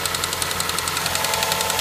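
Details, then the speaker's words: Ford Fusion at idle after serpentine belt and tensioner replacement: rapid even metallic tick over ten a second; owner unsure whether knock, lifter noise or power steering (known power steering leak); source unconfirmed. "there's a little bit I don't know if that's knock or lifter noise but there's definitely some engine clatter it actually could be power steing something not sure but there's definitely noise in there"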